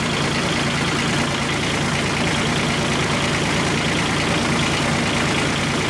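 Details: Kubota G1800 tractor diesel, rebuilt engine reinstalled and run about 2 hours mowing: steady even chatter at idle, no misses or knocks; healthy, running good.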